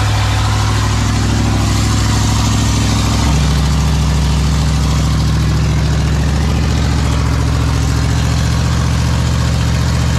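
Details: Big block Ford 460 V8 in a 1956 F-100, running for cam break-in; deep, loud, even rumble with a steady beat and a brief rev change early; normal running.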